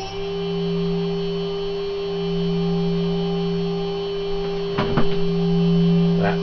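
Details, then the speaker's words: Higher-quality 3.0 kW water-cooled Chinese spindle with better bearings stepped from 6,000 to 12,000, 18,000 and 24,000 rpm, ending in a steady, smooth, pure whine near 400 Hz at full speed with no rattle. "so starting with 6,000 that's 6,000 now going to 12,000 now 18,000 and finally 24,000"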